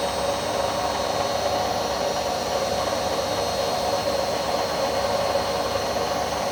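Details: Indesit My Time washing machine, under three years old, spinning at constant speed: a steady whirring roar with a rough, grainy edge and no knocks. The owner suspects the drum bearings are just starting to go.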